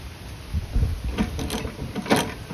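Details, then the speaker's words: Go-kart converted from electric to gas, chain sat a while and being lubed: uneven knocks and clicks as chain is rocked by hand, louder at one point in the turn; suspected stuck link on the chain, otherwise fairly smooth. "not sure what that is. That's just a a stuck uh not a bearing, whatever you call stuck linkage. Stuck link on the chain."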